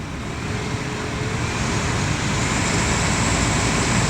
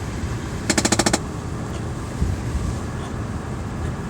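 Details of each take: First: Chevrolet Impala with no-heat complaint, after rewiring, engine idling: blower motor running with steady even rush of strong air from vents, swelling slightly, no rattles or squeals; normal blower operation. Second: Chevrolet Impala with a no-heat complaint: a quick burst of about seven sharp, evenly spaced clicks, then quiet, from a failing blend door actuator skipping its gears. A previous bad actuator had simply been removed.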